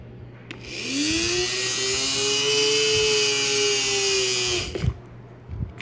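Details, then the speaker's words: Federal Signal Aerodynic light bar motor after repair; it was loud and noisy from dirt and grime entering its ventilation openings. It spins up with a rising hum, then holds a steady, clean whine for about four seconds. Now runs smoothly and quietly. "part of that noises from being on this case let me hold it and in three a little motor running definitely sounds better than you"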